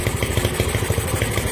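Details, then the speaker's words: Honda MegaPro single, modified to CB style: idles with the battery positive cable disconnected and keeps running, so the regulator/rectifier works; steady, even beat about eight pops a second, no stumbles. "motornya tetap hidup berarti kiprok ini sudah melakukan tugasnya"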